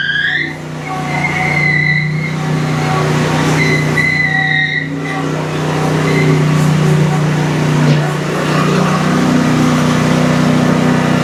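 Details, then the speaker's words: Exmark Quest zero-turn, Briggs Intek V-twin, after valve-guide repair: strong even drone under load, loud muffler, smoking from one side, both cylinders pulling cleanly with no stumbling, surging or dropouts. "Got a lot of muffler noise for sure. Smoking real good from that one side, but you can tell it's got plenty of power."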